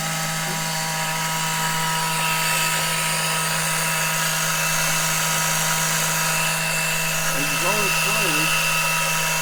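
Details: Small electric extractor pump sucking engine oil through the dipstick tube for an oil change on a 2007 Monterey 214FS with a MerCruiser 5.0 MPI. It gives a loud, steady hum with a high hiss and no stutter, gets a little hot and is slow; normal running.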